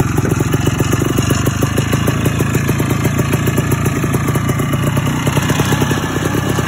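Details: 1987 Ski-Doo Citation LS Electro 250 two-stroke snowmobile recovered from the dump, running on a makeshift fuel delivery system: fast crackly putter holding a steady even beat at idle; normal running.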